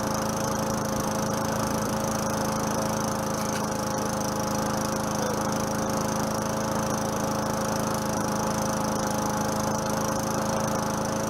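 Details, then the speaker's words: 4.5 HP Tecumseh Craftsman side-discharge push mower, first run after about 3 years sitting, slightly smoky, carburetor leaking fuel. Steady, even single-cylinder buzz with no misses or surging; normal running. "I'll let it sit there for a minute and see she's a little smoky smoky she hadn't run in a while too so that's all right"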